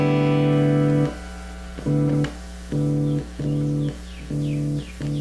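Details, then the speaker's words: Black Beauty-style guitar fitted with Pstreet pickups. Held bass notes cut out to near silence and return about once a second. Owner suspects a bad tone pot or its wiring, since the pot still reads good resistance while turned; not confirmed. "I'm guessing it's the wiring cuz it cuts in and out and there's still good resistance on the p as I'm turning it"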